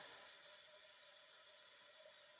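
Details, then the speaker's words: 1968 Firebird replacement engine, leak-down test on cylinder 6 at top dead center with 80 psi in and 30 shown, engine not running: a steady high hiss of air leaking out past the intake valve. Ring problems also found. "Oh, that one's the valve. That one's coming out of this valve right here. Yeah. So intake valve is the major problem on that one."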